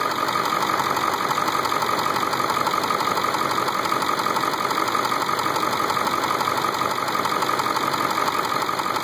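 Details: Ford 7.3 diesel at idle: even steady clatter, about three light raps a second, no heavy knock; owner feared a knock, but three years and 70k miles later it proved normal and healthy.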